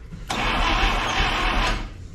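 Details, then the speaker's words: 1961 Buick LeSabre Estate Wagon 364 Nailhead, first start attempt after three decades: rough sputtering burst as the engine cranks, briefly fires and dies; cranking seems to slow, possibly from pulling down the battery. Owner suspects retarded timing; a backfire is smelled. Crank, no start. "Seems like it's getting a little slower, however, we may be pulling off that battery. Seems like it's trying harder there."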